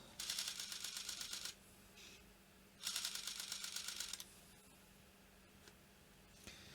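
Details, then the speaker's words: Sony D-EJ621 portable CD player after cleaning corroded battery terminals: two bursts of rapid clicking as the pickup seeks its limit switch, laser not starting; laser ribbon cable or gear meshing suspected, not confirmed. "Yeah, I don't think the laser's even starting up. It's making this clicking noise where it's trying to go back to its limit switch, which is here, to bring it back."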